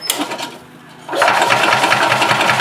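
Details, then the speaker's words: Gas Yamaha golf cart (title: 1991 G8) that runs two or three minutes, slowly throttles down and dies: starter churns at a steady rapid rhythm but the engine never catches; crank no-start from fuel starvation, failed fuel pump, before a carb clean and new pump. "okay so let's manually Prem the fuel system so we don't drain the battery down"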